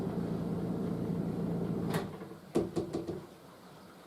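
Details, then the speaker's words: Roughly 10-year-old sump pump: steady hum cuts off, then one sharp bang and a few quick rattling knocks as it shuts off, shaking the floor joists. The cause is unconfirmed; usually louder than heard here. "see if you can hear what the bang sounds like it is really annoying i'm actually kind of surprised it hasn't busted the connections started leaking water or something"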